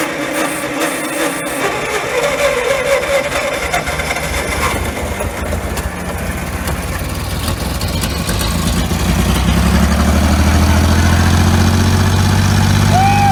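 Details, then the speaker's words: 1950s roller saved from scrap, first run after head work: cranks, catches and settles into a steady low thump, running halfway decent while smoking off coolant left from draining the head. "wo heck yeah baby it actually sounds like runs halfway decent look at that smoke oh yeah just burning off all that coolant from when we drained the head there"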